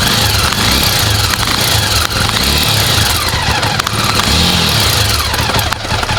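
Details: Jawa two-stroke motorcycle: loud, busy idle with a harsh metallic clatter on top that swells when the throttle is blipped; abnormal engine noise, source unclear.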